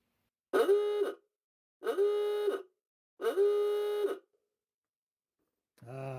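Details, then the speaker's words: 1930 Ford Model A with its original Spartan ahooga horn, reassembled and connected to a 6-volt battery: three loud ahooga blasts, each about 0.75 s, with a strong buzzing rise and fall; the horn works normally. "much better now I have my UGA back in myuga horn"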